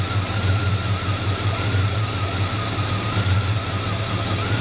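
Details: 1974 Chevrolet C20 small-block V8, just revived after sitting about 3 years, no thermostat: steady deep idle rumble with a faint constant whine, keeps running. Some surging suspected from bad gas and carburetor debris.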